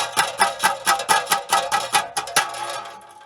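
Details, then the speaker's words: 1990 Eagle Talon, stock muffler heat shield loose, heard while driving: light metallic tapping about twice a second in a loose, uneven beat; heat shield rattle, fixed by securing it. "something I noticed when I was driving or heard was uh this little heat shield that's tied to the stocky stock Muffler unless of course you like this noise when you're driving"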